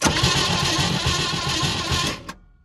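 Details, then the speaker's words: 1971 International truck that wouldn't fire at all, compression test on cylinder 1 reading 30 psi: quick, light cranking that spins too freely and never catches. Low compression; a jumped timing gear is suspected. "okay 30 pounds not so good not so good it won't run off 30 let's see if we do better with the other cylinders"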